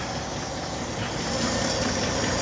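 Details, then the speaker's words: 1964 Chevrolet Impala inline six, first start after sitting since 1995, carburetor primed with fuel mixed with two-stroke oil: steady idle with busy even mechanical clatter, no stumbling, smoking a little; normal idle. "she's running she's even idling man this is crazy these inline sixes are some good ass engines man"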